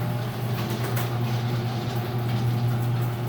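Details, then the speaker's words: LiftMaster 3265M garage door opener, second door: steady, low, smooth electric hum without rattle; the door shakes a little going down. Said to be way quieter than it used to be. Normal running. "this one down shakes a little bit yeah so this one's actually way quieter than it used to be surprising at that"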